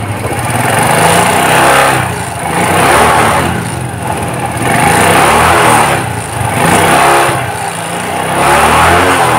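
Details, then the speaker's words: Suzuki Shogun 125 after refitting the carburetor needle so it moves with the slide: revs climb and fall smoothly with each throttle twist, no stumbling or hunting; normal throttle response. "jadi mesinnya mengikuti irama putaran G jadi enggak sendat-sendat karena jarumnya naik turunnya itu sesuai dengan keinginan putaran gas"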